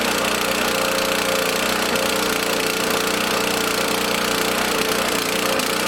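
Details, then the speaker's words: Small lawn mower engine in a fuel additive experiment, loud ragged clatter with an uneven beat that never settles; rough running held only on part choke, still needing a feathered choke. "i gotta keep choking these to keep them running until they get warmed up enough to run on their own"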